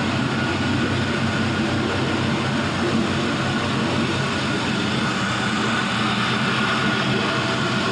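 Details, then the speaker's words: 5.3L Gen 3 LM7 V8 with 180k miles, idling at about 700 rpm while the coolant warms up, oil pressure just above 40 psi: even, smooth rhythm with no stumble or hiss; normal idle. "Everything seems to be going super good here. About 700 RPM on the idle. Coolant temp is warming up nicely."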